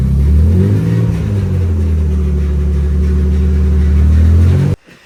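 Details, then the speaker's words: Car engine after draining bad fuel and refilling with fresh gas: strong, steady low rumble revving up and holding evenly with no misfire or stumble, then cutting cleanly; runs healthier than on the bad gas. "sounds pretty healthy sounds happy happier than it was with that shitty gas a little bit yeah definitely"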